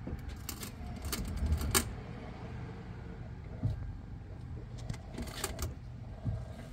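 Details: Toyota jacked up, engine off, cold, wheel turned by helper: soft irregular clunks and knocks as the wheel turns; cause is the front strut top mount seized by corrosion, not the steering shaft, fixed by strut replacement.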